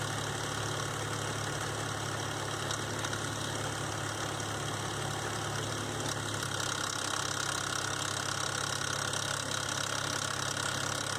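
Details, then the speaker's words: 2005 Nissan Xterra VQ40DE V6 at idle: loose metallic rattle and tapping from slack timing chain; tensioner hook not riding on the tensioner left chain untensioned and slapping around, believed cause; fixed by replacing timing chains, guides and all three tensioners. "So I don't think the chain was getting tension like it should, and it was kind of slapping around like that. I believe that was the cause of my noise."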